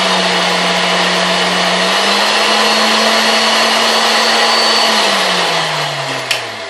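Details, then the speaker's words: Vintage KitchenAid 4C stand mixer after a service, run up through all speeds: smooth, even motor hum stepping up in pitch and winding back down, with no knocks or grinding; all speeds sound good. "so it sounds good, and all our speeds sound great, so I think we can go ahead and we can finish buttoning this thing up here."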